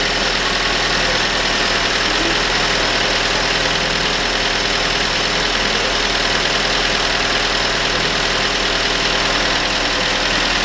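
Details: 2015 Holden Barina RS (Chevy Sonic) 1.4 turbo, first start cold just after turbo replacement for a P0229 underboost code: steady, even idle with smooth hiss, no knocks, rattles or hunting; running healthy.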